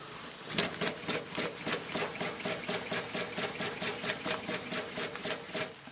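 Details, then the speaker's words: Maxwell Hemmens Birmingham Dribbler gauge 3 live-steam locomotive, long unused, low steam pressure: sharp wet hissing chuffs about three a second, uneven in strength, as it primes water from the cylinders; cylinder priming. "Keep going, you get rid of the water. It's priming because it's been stood for a long time. The second run will be better."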